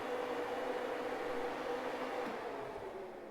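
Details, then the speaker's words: 1972 Ford Maverick electric radiator fan, key on, relay reinstalled, ground wire jumped to simulate temperature switch: steady smooth whirring; fan runs normally. "So I still have my ground wire here. So if I connect this, it should start the fan, which it does."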